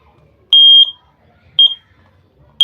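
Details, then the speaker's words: Standalone battery smoke detector, just activated by pushing its test button: loud piercing high beeps in short bursts, roughly once a second; detector armed and working. "The smoke that will produce by the candle, this standalone will sense that smoke and start to activate the alarm, and will alert you if you are on the far end."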